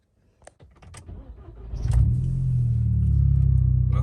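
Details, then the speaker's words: 2006 VW Golf GTI after swapping coil packs to diagnose a misfire: a few clicks, brief crank, then smooth even idle, engine slightly cooler; no misfire on a later 10-minute drive. "starts it's running an idle that's good revving right now it's a little cooler than it was"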